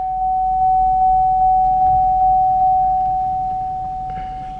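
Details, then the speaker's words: Car with traction, ABS and brake warning lights on: a warning chime dings nonstop about two and a half times a second over a steady high tone. It seems to come from the driver's door area, possibly the speaker. "i've got several lights on here got my traction light on abs light brake light and there's this binging"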